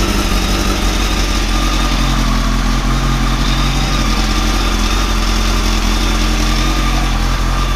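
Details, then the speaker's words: Motorcycle first start after clutch rebuild with old clutch refitted, new gasket seal, fresh oil and coolant topped up: steady deep smooth idle; earlier noise gone, no clutch rattle. "I mean before when I was putting mccrutchen I hope you can hear me I was getting a noise and there's no noise now and thought of reps on for a moment"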